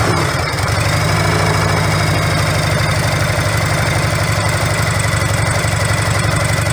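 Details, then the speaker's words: Harley-Davidson V-twin idling after repacking empty mufflers with fiberglass: steady lumpy idle, deep even pulses, soft mellow exhaust note; noticeably different from before, runs clean and healthy. "Anyway, there's a noticeable difference from what it sounded like before. I like it. It's mellow."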